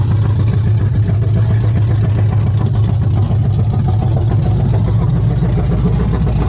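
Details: Chevy C10 truck with a freshly installed ZZ4 350 crate V8, first run: deep, steady rumble holding an even beat with no ticks, knocks or misses; normal running.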